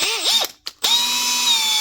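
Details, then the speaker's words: Makita DHP481 cordless drill after relubricating its bone-dry gearbox and fixing a loose start/stop switch: winds up, stops briefly, then runs at an even high whir with no grinding or roughness; normal running after repair. "Listen to that. That's some difference. That's exactly what it was. Gearbox is just bone dry,"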